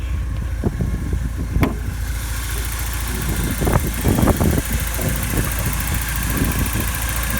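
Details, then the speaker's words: 1986 Porsche 944 N/A, 5-speed manual, 143,000 miles, just bought: after a few clicks it catches and settles into a steady even idle rumble with no ticks or misses, runs pretty well. "The previous owner had to change it out, and so we'll fire it up, see how it runs. Runs pretty well."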